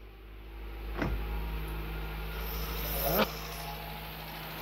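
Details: 1980 Volkswagen Rabbit automatic with CIS fuel injection, first start after cleaning the injectors and setting the timing, running off its own tank: low, even idle hum at constant speed without stumbles or misfires; healthy idle.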